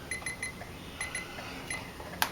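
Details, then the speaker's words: 2012 Ford Escape after repairing a dead short in the trailer lighting module power supply: left turn signal test gives evenly spaced high chirping beeps, about three per second, with a pause; normal turn signal operation. "can hear it beeping, I know it's good."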